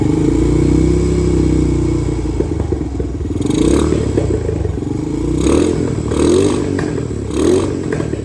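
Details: 2017 Honda TRX250X ATV needing a rebuild, started on choke with two pumps of gas: light thumb throttle holds it running, but off throttle it sags, stumbles, backfires with sharp pops and starts to die at idle.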